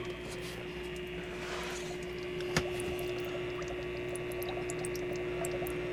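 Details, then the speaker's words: Homemade workshop water heater at startup, after the antifreeze was changed, with the tank prefilled with hot water. Steady circulation pump hum with faint gurgling as air purges from the lines. Soon flowing nicely; the pump runs smoothly. "let that Purge and build up a little pressure in the lines and make sure it's circulating well just a few moments later it's flowing nicely"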